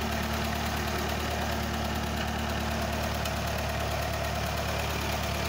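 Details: Ferguson TE20 tractor, bought with an exhaust pop and fast idle: even, low engine beat at steady idle, no popping or misses. It runs smoothly.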